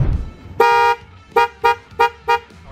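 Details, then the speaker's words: Toyota Corolla Lovelife with Mitsuba Alpha 2 dual horns: short toots on one thin single tone instead of a two-tone chord; only the 400 Hz horn sounds, the 480 Hz horn is dead, wiring problem. "So apparently ganito yung tunog niya. So parang isang horn lang yung gumagana."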